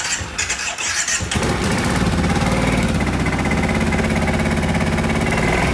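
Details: 2010 Kawasaki Brute Force 750 ATV, bought cheap with one cylinder not firing: uneven cranking catches into a ragged, stumbling run with irregular pulses, hard to start; strong gas smell, owner suspects too much fuel in the cylinder.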